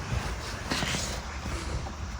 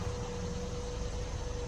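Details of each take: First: 2018 Jeep Compass Latitude, light-damage rebuild, first start: starter cranks several seconds without firing, then the engine catches and revs once throttle is given; hard start, cause unknown. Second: 2018 Jeep Compass Latitude with super light damage, at the start of a rebuild: a quiet, smooth, even idle with a faint steady tone and no misses or ticks; the engine runs nice and clean.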